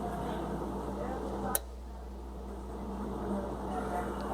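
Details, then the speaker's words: Electric furnace with no-heat complaint, after power is shut off: one sharp click over steady electrical hum as the sequencer relay's bi-metal disc cools and its contacts drop out, having earlier closed to power the glowing heating element. "You hear it click off again. That low voltage power is a bi-metal disc that flexes has little I think ceramic push rods that close those relays and after you shut the power off they'll start to cool back down when the voltage is off of them and it'll actually click off."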